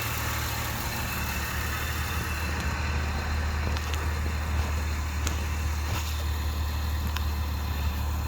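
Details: Nissan Maxima (95-01, VQ30DE/VQ30DEK) fitted with Audi R8 ignition coils, running about 8 months without issues: steady, even idle with a smooth low rumble and no misfire, stumble or tapping; engine healthy.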